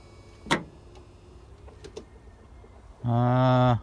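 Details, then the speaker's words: First-gen Dodge after rewiring, blower on low: a few sharp irregular clicks then a short buzzing hum; clicking suspected from the solenoid or relay wiring, not confirmed. "you can hear I hear something clicking what's clicking is your your got your wires all hooked up right on the solenoid"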